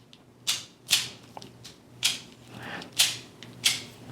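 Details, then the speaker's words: KastKing Valiant Eagle BFS baitcasting reel, new out of the box: crisp, bright paired clicks on each engage, a clean double click that differs from the Zephyr reel's engage sound. Normal engage click. "The engage sound is a little different than the Zephyr. Sounds like a double clicker right there."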